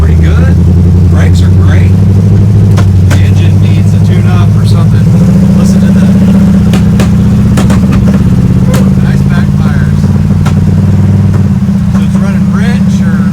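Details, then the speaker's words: Rough 1955 Chevrolet two-door Handyman Wagon on its first drive: loud deep V8 rumble under load with irregular sharp pops; backfiring, owner suspects timing, spark plug wires or a misfiring cylinder/plug, unconfirmed. "She runs straight. Backfire. So yeah, I got timing issues, or I got spark plug wires, or something."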